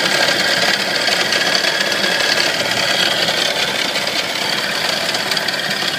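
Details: Nissan 240SX at idle: busy, uneven, loud metallic engine rattle steady throughout; cause unknown.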